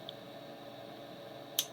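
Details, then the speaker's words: GW Instek GPC-3020 bench power supply, output relays unplugged, voltage knob turned up: one crisp relay click over a faint hum as the transformer changes taps; normal, unrelated to the intermittent output-disable fault. "by the way it's clicking not because I got the output relays plugged in but I got I set the voltage"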